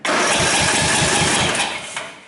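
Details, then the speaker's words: Older Craftsman riding mower with a 13.5hp Briggs & Stratton flathead engine. It cranks quickly and evenly but won't fire. Gas can be smelled, so fuel is likely reaching the carburetor, and spark is to be checked next. "okay so we know the engine is turning over i smell a little bit of gas when i turn this engine over that's actually a good sign because that tells me that there is likely gas getting to the carburetor"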